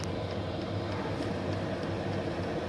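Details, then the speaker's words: Chinese diesel air heater newly installed in a UK camper van conversion, starting up: steady rush of blower air with faint regular light clicking that stops once running; normal start-up. "Does seem a little bit noisy, but to be fair, once it's up and going, that clicking stops. You can just hear the air coming out,"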